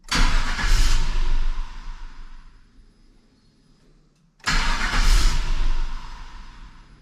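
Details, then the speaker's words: GM NBS Stepside truck with new tune (HP Tuners): engine catches, runs about a second then dies, repeated on next start; owner suspects VATS anti-theft security cutting power. "interesting it runs for a second then it cuts power that generally like it's a security thing"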